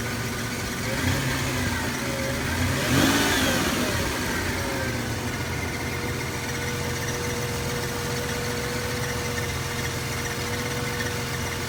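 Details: 1998 Toyota 4Runner Limited 4WD, 5VZ-FE V6, idling with a brief rev and a steady thin whine above the engine note. It began a couple of days ago and is masked at higher rpm. Cause unknown.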